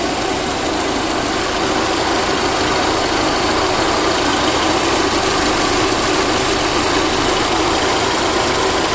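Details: VAZ 2109 engine after a full overhaul: even, steady idle with a fine uniform patter and no knocks or misses; runs healthy.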